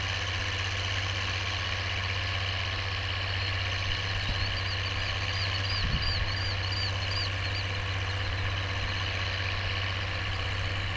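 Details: Oliver 1550 diesel tractor pulling a John Deere BW disk after whatever was in the fuel system cleared out; an even, low rumble pulling steadily with no stumble or rattle, with a few birds chirping over it. Normal running under load.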